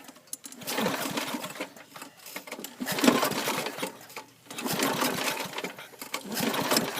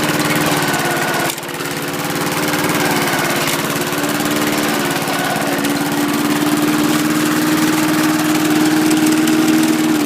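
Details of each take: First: John Deere Power Drive 21-inch self-propelled mower, Briggs 3.5 or 4 hp engine that usually starts in one or two pulls: several recoil pulls, short two-second whirring bursts, never fires; cranks but fails to start, owner suspects out of gas. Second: John Deere Power Drive 21-inch self-propelled bagger mower, Briggs 3.5 or 4 hp engine, blade brake removed, possibly burns a tiny bit of oil: steady, even buzz at constant speed with no misses, knocks or surging; normal running.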